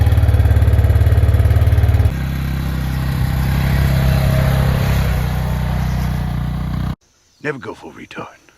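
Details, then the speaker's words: Arctic Cat 400 4x4 ATV, sat a month with a dead battery; after a new battery and a bad starter solenoid found, the engine settles into a steady, even thump with no misses or knocks, running normally. "so the battery was dead took a new battery that's it it's running"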